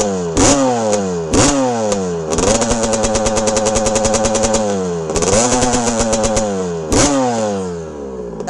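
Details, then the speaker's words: 1982 Honda CR125R, original stock two-stroke, started first kick, revving while warming: crisp blips rise and fall cleanly, steady ringing buzz at higher revs, drops back to idle; healthy. "starts first kick and listen to this thing absolute music"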